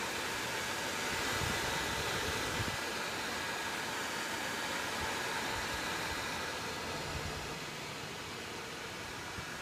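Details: ASUS M11AD-US006O desktop: constant airy rushing hiss with no pulse or pitch change, cooling fan running loud enough to disrupt phone calls nearby; cause undetermined.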